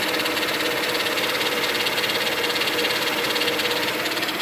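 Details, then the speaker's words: 2000 Mercedes-Benz E320 wagon at idle, recorded near one side of the engine: fast, fairly even light ticking two or three per second; owner suspects the power steering pump due to stiff steering, unconfirmed. "i never heard that sound before but i assume that's that's the power steering pump since i have stiff stern"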